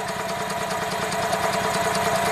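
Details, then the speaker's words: 2004 EZ-GO gasoline golf cart that quit after driving into a deep puddle: cranks steadily with an even rhythm but never fires or catches; spark check shows only a tiny, very weak spark, suspected bad ignition coil. "okay cranks over doesn't start so first thing we do check for spark"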